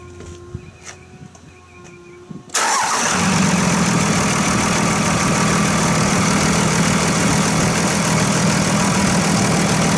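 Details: 2001 Dodge Ram 2500 Cummins turbo diesel, started after installing a Fleetguard FS19855 fuel filter with the bowl left full: quiet ticking, then catches at once into a steady, even diesel clatter with no stumble or stall; normal start and idle.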